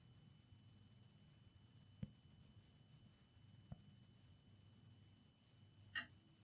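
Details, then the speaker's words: HP 15-eu0501sa laptop charging from a linear bench power supply: three irregular relay clicks in a quiet room as the supply hits its 5 A current limit, briefly disconnecting; the laptop goes to standby. "yeah start clicking and the laptop switch off no you go on standby it's clicking from time to time now it's fine I believe when it's touching the limit it's disconnecting whatever there is taking current"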